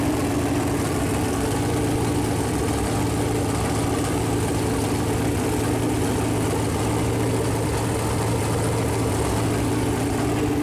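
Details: Chevrolet Performance 454 big-block V8, fresh engine build on a run-in stand, first fire-up with header paint burning off: deep, smooth, even idle with a steady low rumble and no knocks or ticks; temperature around 190, oil pressure good; normal idle.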